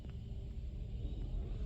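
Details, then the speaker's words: Chevy Trailblazer, coolant valve replacement for P3075/P0198/P0128: with the system filled and cap off, the scan tool's engine coolant learn function runs the electric coolant pump. A low steady churning hum with faint gurgle is heard as it primes, pushing and sucking coolant. Normal. "tty much priming the water pump or coolant pump. So you're gonna hear the thing make a funny noise, like it's pushing coolant out, suck coolant in. That's the whole point of it."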